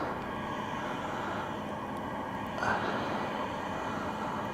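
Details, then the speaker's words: Barto natural gas compressor station heard from a resident's house across the cemetery, on a quiet day: steady faint mid-pitched drone with slight hissing, running normally. "you can hear it a little hissing this is from a resident's house across from the cemetery"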